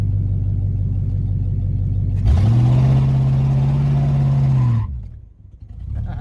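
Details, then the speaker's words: 1969 Buick Wildcat, 430 cu in big-block V8, sat 21 years, muffler cut off, pulling in low gear: deep booming V8 roar rising and holding, then dropping away, very loud and raw. Loud exhaust with muffler removed. "yeah it's very loud but it's fine maybe cutting the muffler off was a bad idea but I think it was the right thing to do"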